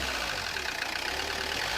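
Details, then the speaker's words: Peugeot Partner 1.9 diesel idling with a loud, harsh, annoying clatter through the engine note; mechanic suspects wrong timing setting so pistons may contact valves, not confirmed; loud engine noise. "يعني الكرهبة تخدم لكن تعمل صوت كما هذا، صوت اللي هو صوت مزعج، صوت يعني كأنه سباب"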